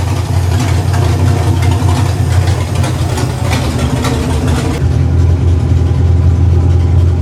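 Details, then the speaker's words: V8 with shortened red plug wires fitted with new terminals: deep even rumble idling and picking up smoothly when revved, no stumbling or missing beats, no sparks seen; running healthy. "As you can hear, there's no missing. Everything runs smooth. Everything looks good."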